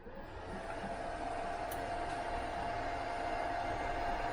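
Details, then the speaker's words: Vevor MIG 130 flux core welder switched on, set to MIG 0.8 mm wire: steady airy whir with faint constant hum, the machine's fairly loud cooling fan running normally. "I was trying to keep it turned off because it does have a fairly loud fan"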